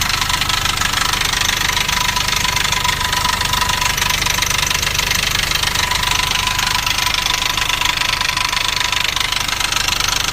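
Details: Nissan Navara D40 2.5 dCi diesel at idle: fast even metallic rattle, three or four a second, that sounded like a dual-mass flywheel; actually a cracked intake manifold.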